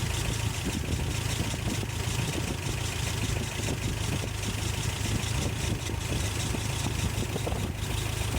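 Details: 1988 Toyota Pickup 22R, Aisin carburetor, after timing chain, water pump and oil pump replacement: low steady idle with even beat over exhaust rumble, no knocks, rattles or chain slap; earlier stalling, now healthy.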